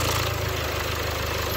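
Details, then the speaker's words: Jaguar Land Rover 2.0 Ingenium diesel just after timing chain replacement, fresh oil and genuine filter, idling in workshop: steady even diesel idle, smooth low beat, no rattle or slapping from the front, miles quieter than before; healthy. "God, how much quieter that is. Miles quieter."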